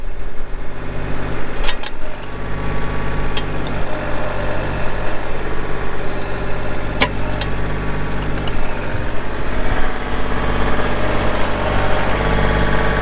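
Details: 2024 Kubota L2501 compact diesel tractor with loader, backhoe, hydrostatic drive and 35 hours. The compact diesel settles into an even, low idle with a steady rumble and no knocks or misses; a normal idle.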